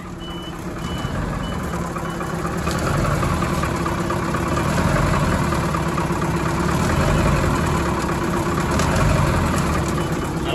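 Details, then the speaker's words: Abandoned Thomas Built school bus with 8.2L diesel, first start after replacing a dead starter solenoid: steady diesel idle firming up over several seconds, reversing beeper chirping on top; runs evenly and sounds fine. "how they're supposed to sound but it sounds like perfect i don't know"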